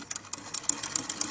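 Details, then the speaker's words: 1920s Pathé Baby (Pathescope) hand-cranked cine projector, Lumière-based mechanism with original shutter/flywheel: light rapid clicking and soft clunks in even rhythm as cranked, moving sweetly; clunking is normal mechanism noise, not a fault. "still moving sweetly. That clunking noise that you can hear is part of the mechanism. Not an error or mistake or problem."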